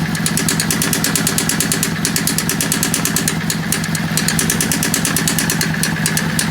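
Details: Yamaha V-Star 650 V-twin at idle: an uneven, loose ticking chatter rides over the loping beat, an abnormal engine sound with no identified cause.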